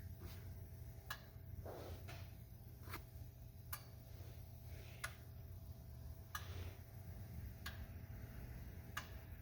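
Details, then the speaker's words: 2004 Ford 6.0L Powerstroke diesel that starts but runs really rough; scanner injector buzz test gives faint sharp clicks about one per second over a quiet hum, with number two injector's beat missing and no codes set: dead injector. "we are missing number two I thought I heard it we're gonna go ahead and it didn't say did not put any codes out for it"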